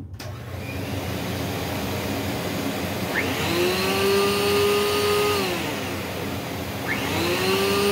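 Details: Rainbow PN-2 power nozzle after repacking dry brushroll bearings (about 7 years old): steady, even motor whirr whose pitch climbs as the grease warms; the earlier minor squeal is gone, running normally.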